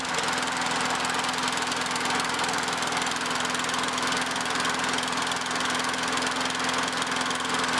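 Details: Normal running of a curb-found Craftsman 917.377300 mower with Tecumseh Eager 1 6.6HP engine, after spark plug and Vector carb cleaning: a fast, steady single-cylinder buzz at constant speed with no surging or knocking.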